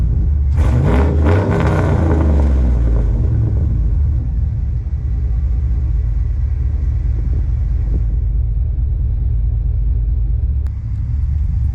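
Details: First start-up of a high-mileage 21-year-old GMT800 Chevy Silverado/GMC Sierra 1500 V8 after fitting used long-tube headers: barks to life, blips a few revs, settles into a deep, lumpy but even idle; healthy.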